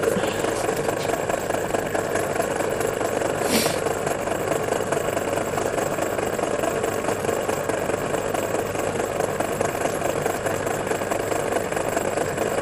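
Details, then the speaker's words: MORI MA-100 antenna rotator on the bench after upgrades: steady, even motor whirr and gearbox hum with no knocks; it coasts a couple of degrees past the limit switch near south, so it must be stopped early. Normal operation. "as you see it runs on a couple of degrees so you've got to sort of stop early with this thing anyway"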